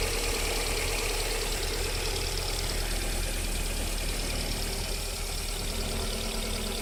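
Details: VAZ 21127 engine at cold idle during warm-up: light, fairly quick tapping knock over a steady idle; unexplained knock until about 40 °C, then it goes away, cause not pinned down.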